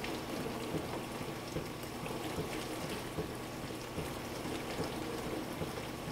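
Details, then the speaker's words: Frigidaire LFBD2409LF2B dishwasher, two years old (bought 2015), diagnostic test step 5 WASH HEAT, wash motor and heater activated for 75 seconds; steady water spray and splashing over a faint motor hum, no grinding or knocking. Normal wash cycle. "the word step 5 wash heat the wash motor and heater are activated this test runs for 75 seconds"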